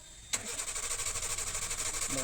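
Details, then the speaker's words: Suzuki Super Carry BS6, crank with no start: the starter churns but the engine never catches. The weak battery gives only 9 V instead of 12 V at the fuel pump coupler, so the pump motor won't run. The pump was then removed and found yellowed, apparently burnt. "Battery weak असल्यामुळं 12 volt येत नाही, 9 पर्यंत जात आहे. त्यामुळं इथं current तर येत आहे पण मोटर चालू होत नाही."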